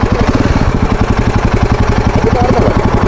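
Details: Royal Enfield Himalayan 450 single-cylinder idling: steady thump with light fast tappet ticking from the cylinder head, present for two to three months; owner questions whether it is normal, mechanic says clearance can be checked with a gauge.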